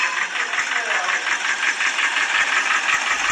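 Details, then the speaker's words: Idling petrol engine with a sharp, regular clicking of about three ticks a second; the owner nearly had the engine overhauled, and replacing the high-pressure fuel pump did not cure the noise. "这种咔咔的异响声，差点让车主大修了发动机。之前换了一个高压油泵，异响声依然没有得到解决。"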